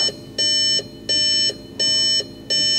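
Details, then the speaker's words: Audi S1 with a replacement wiring loom being fitted, ignition on: high electronic dash chime pulsing about 86 times a minute, each near half a second; warnings because many connectors are still unplugged. "turn it to the ignition all the lights are on we've got lots and lots of culture problems false I know that most things aren't pulled in so no surprise there"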